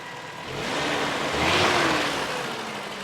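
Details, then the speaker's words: 1993 Toyota pickup, 22RE engine with 5-speed manual, 2WD base truck, after moving the distributor one tooth. Started up and now idles evenly with a smooth hiss that swells briefly and settles, no knocks or misses; normal idle. "Oh, so much better. Awesome, it started up."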